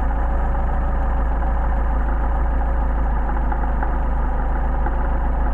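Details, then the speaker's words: Warm engine with rebuilt 190SL Solex carburetors just adjusted: a smooth, even idle with no misfire, stumble or hunting, idle speed raised by the adjustment, before synchrometer balancing. "that's pretty good there now I think our idle is increased because we got those properly adjusted"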